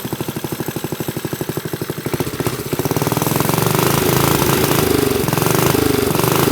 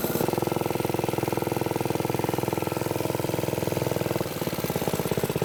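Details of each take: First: Briggs & Stratton minibike single-cylinder, on choke: thumping turns into harsh, uneven chatter as revs climb; sticky clutch engaging too early, suspected missing or worn springs, not confirmed. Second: Briggs & Stratton-powered "Piglet" minibike, rusty rescue project run with choke after clutch prep; the idle may be set a little high and the sprocket has bad runout. Quick, fairly even single-cylinder chugging with a slight dip near the end; it runs but is sketchy.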